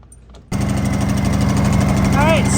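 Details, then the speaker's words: Honda EU200i generator after replacing old fuel and cleaning the carburetor: quiet start, then the engine catches and settles into a smooth, even beat with no surging or dying: normal running. "right, so I still got to put the lid back on, but you can hear it. It's running. Oh my gosh. So just needed that carburetor cleaning."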